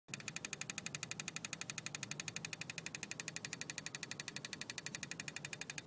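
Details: BMW E36 320i with key in position 2 and the engine off: sharp, even ticking in the engine bay that stops at key positions 1 or 0; cause unknown.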